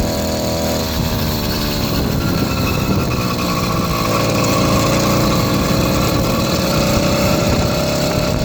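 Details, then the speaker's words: 80cc two-stroke motorized beach cruiser bicycle engine pulling under load on a ride, buzzy wavering uneven note, no proper power band; rough running, cause undetermined (before a replacement performance carburetor later made it run well). "I cannot figure out what's going on with this damn thing. I don't know. To me, it doesn't sound right."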